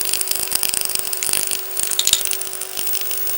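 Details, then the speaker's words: Sanyo 5-TC1 Cadnica portable B/W TV (c. 1965), power supply and sound amplifier repaired with silicon output transistors: speaker gives irregular crackling and popping, with a very faint tone sent through the RF buried underneath. Sound quality still needs work. "can hear it crackle. And if you listen carefully, you can even hear the tone I'm sending through the RF."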